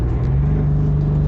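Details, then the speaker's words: Turbocharged Corvette project car after fixing a boost leak, boost back to about 7 psi from 5.9-6: short hard pull in third gear, strong even low roar with no ticking or puffing; normal boost. "Finally, got my boost back. So that's just a really short pull in third gear. You know, that's just a real quick rip."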